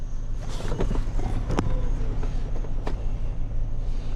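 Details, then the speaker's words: 2011 Chrysler Town & Country with a crank-no-start complaint, after a fuel pump replacement that had not fixed it, now on a booster pack: a low, steady idle with only background clatter and no stumble or misfire. The van is idling normally. "whatever, this thing works. Thing's running."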